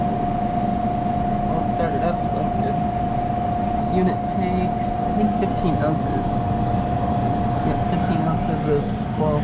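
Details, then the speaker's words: Subway prep table refrigeration unit after repairing a liquid line restriction at the expansion valve and recharging refrigerant: steady compressor hum with constant tone, no knocking or rattling; coil warming, running normally. "it's nice the coil is actually getting warmer this time and you can hear it it sounds normal it doesn't sound it's had many issues"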